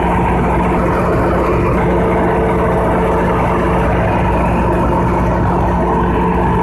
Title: Conduct load test of Generator 3500 KVA# Loud Noise#